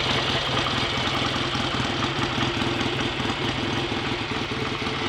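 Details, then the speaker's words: Freshly rebuilt BSA A65 Lightning twin with a replacement crank, ignition timing not yet checked, strong oil return: even, steady idle with a regular beat, no knocks, misses or rattles; better than before the rebuild; normal idle. "a bit better than it did last time I heard it ringing anyway [Music] hopefully this time the bike will actually be as good as it looks"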